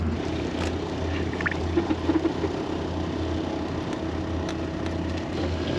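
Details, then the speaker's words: RV being winterized, water pump drawing antifreeze through the lines while faucets inside open and close: steady, even low hum, no surging or chatter; pump running normally. "when you hear that pump shut off that's she opens it the pump turns on"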